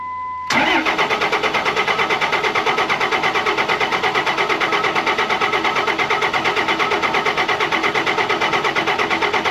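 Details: 2005 Ram 5.9 Cummins diesel, unrun for a couple of years, after replacing FASS lift pump filters; chime then nine seconds of even cranking near three beats a second with no firing, fuel starvation.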